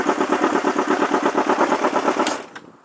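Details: 1994 Honda CBR600 F2 restarted after jump start, stator charging battery: steady even chuffing beat at fast idle for a couple of seconds then shut off; normal idle.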